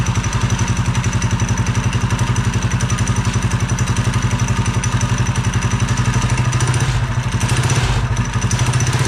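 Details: Replacement Honda engine on mini bike, chain and belt cover off, first start after swap: even steady thumping beat, no misses or knocks; healthy.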